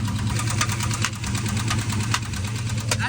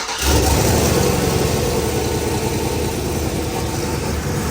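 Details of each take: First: 700hp junkyard-built turbo truck V8 on the road while tuning: sharp metallic knocks about every half second over rough idle, from the cylinder head/top end; owner rules out a spun bearing and suspects a lifter; valvetrain knock. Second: Junkyard-built 700 hp turbo V8 truck, engine hot, after refitting a part to cure a noise: steady, even idle with a deep lumpy rumble and no tick or knock; noise gone, engine healthy.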